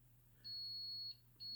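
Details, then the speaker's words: Multimeter continuity test on a removed STK-1060 output module from a Mitsubishi DA-R20 receiver: high steady beep about 0.7 s then two short beeps; pins 8 and 9 shorted, 2 and 3 fine, possibly normal via emitter resistor. "interesting eight and nine are together two and three are fine eight nine are shorted two and three are okay eight and nine shorted"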